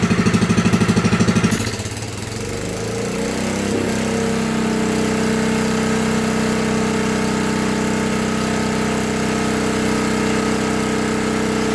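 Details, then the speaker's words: Lincoln Weldanpower 150 AC generator/welder (owner guesses 1964), repaired (magnet rubbing coil fixed; new coil, condenser, plug, fuel parts, points reset): slow pulses climbing to a steady high-rpm drone for welding, no knocks or surging. Normal high-rpm running. "so this is the welding power 150 ac welder i'm going to crank her up the rpms and then i'll show you how to weld it"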